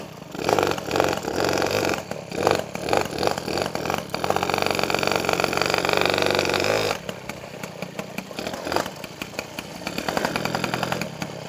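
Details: Peugeot 103 SP moped with a newly wired DD engine: buzzy two-stroke revs rise and drop back in short bursts. The drive seems to catch at low revs instead of winding up first. The clutch engages too early.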